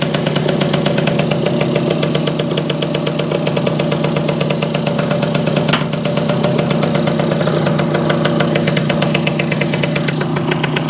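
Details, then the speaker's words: Circa 1965–67 Yamaha YJ2 60cc two-stroke (Campus/Riverside 60) on premix, in neutral, mic close: crisp popping idle about four beats a second, steady, no ringing or rattles; tight, healthy, a bit loaded up. "I don't hear any ringy dingy but pretty tight I think pretty well loaded up"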